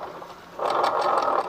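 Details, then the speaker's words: Honda Vario injection scooter, rear wheel turned by hand forward and back: a harsh, gritty rasp in uneven bursts, a rough grinding noise in the CVT area. It sounded smooth after the fix. "motor ini kendalanya suaranya kasar ya saya kasar di area CVT atau Garden"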